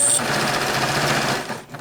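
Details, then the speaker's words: Sewing machine squeaking too much, with owner fearing it may seize: fast, rattling stitching with a sharp, high squeak on each stroke, growing louder and sharper through heavier material. "So, anyway, because this thing is just squeaking way too much. I don't like it. It scares me. I'm afraid something's just going to seize up on me."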